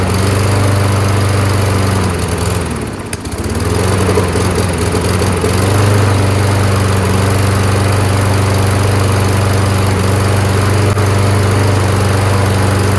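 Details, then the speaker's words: Toro 22-inch Recycler Kohler mower on new HIPA carb, running on gas; steady, even drone after a brief dip, keeps running after release because the rusted semi-metallic flywheel brake pad isn't grounding the kill. Engine fails to shut off. "so the problem with these colar engines is that the brake pad mechanism that touches the flywheel is made out of semi metallic you don't use it very very much it rusts up and corrodes not making a good contact ground between the brake pad and the flywheel happens a lot"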